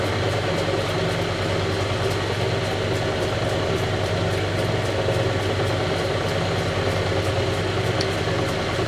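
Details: Vintage Lortone NS/8 lapidary arbor after rehab, on an unsecured board: deep steady rumble with a faint pulse about twice a second under the motor hum from a warped drive belt shaking the machine; owner hopes it reforms with use.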